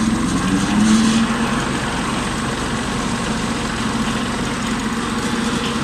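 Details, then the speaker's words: Kubota diesel tractor with rear finishing mower: steady idle, then a rising whir as the clutch is gently released with the PTO lever engaged and the blades spin up smoothly; normal engagement before revving to PTO 540. "Take your foot gently off the clutch and you'll hear it start to wind itself up."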